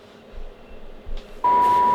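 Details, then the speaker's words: Kenwood TS-450S transceiver receiver check at 1.85 MHz, low end of band, after confirming good sensitivity at 29.8 MHz; soft hiss then a clean, steady mid-pitched test tone comes in strongly; receiver working normally. "that's the other end of the band 1.85 you can clearly hear the signal that's it"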